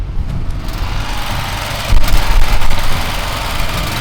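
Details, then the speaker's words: Pressure washer engine that has been cutting out mid-job for days, restarted: it hunts up and down in uneven surges, revs dropping as if starved of fuel, though the owner says it isn't out of fuel, then it recovers. Engine surging. "Yeah, the pressure washer there. That's not normal. It sounds like it's running out of fuel, but it isn't. And now it's okay."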